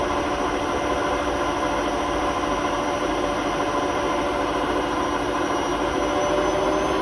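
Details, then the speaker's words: Hotpoint WMA32 washing machine on a fast spin before bearing replacement: steady rough rumble with faint whine; worn drum bearings, drum rubbing the bearing seal. "So the bearings are practically gone in the machine, so we've had to order some new ones. So this will be the last video with squeaky bearings."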